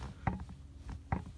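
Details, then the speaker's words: 9th-generation Honda Civic seat: two sharp springy pops with brief metallic ring from the back of the seat near the lumbar when pressed and released; seatback spring popping, cause not yet found. "that's in the back portion of the seat near the lumbar when you put pressure against it and release you hear this springing sound popping"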